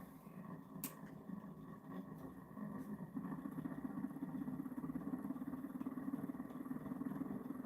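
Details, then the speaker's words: DIY pulse motor, rotor of cubes alternating north-south, dual drive, running on the 180 circuit with an extra coil: quiet, steady low, deeper hum with even pulsing beat, no rattles or scraping; running smoothly. "So you notice how that one is a much lower, deeper. That's because it's the 180 circuits. It's because there's an extra coil in there."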